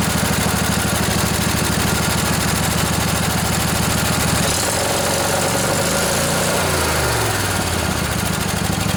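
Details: Junkyard Briggs & Stratton Intek twin-cylinder 20-25 hp riding mower engine, long sat outdoors, just revived: steady even putter at idle then smooth speed change, no knocks or misses, little smoky; normal idle.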